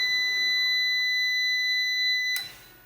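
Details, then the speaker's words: Must PW1800 inverter after repair of burnt transistors, loaded past about 1 kW: one steady high-pitched beep about 2.5 s as it enters protection, error 52 (inverter bus voltage too low), can no longer supply the load. "52 - це занадто низька напруга на шині інвертора То він вже не стягує"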